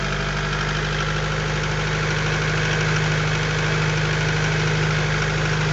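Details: Honda B20A with forged internals: piston slap on cold start, a dull rapid knocking about three per second over a rough cold idle, steady throughout.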